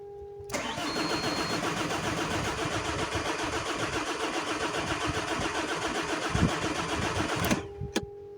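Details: Alfa Romeo 159 1.9 MultiJet 8-valve diesel with burnt engine control unit: starter turns the engine at a steady, slightly uneven beat for seven seconds but it never catches; crank no start from the faulty engine control unit.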